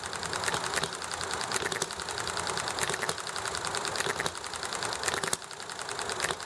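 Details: Small Enjomor hit-and-miss engine running nicely, with highway traffic and chatting in the background: sharp single firing pops with coasting gaps between over a busy background; steady, healthy, normal hit-and-miss running.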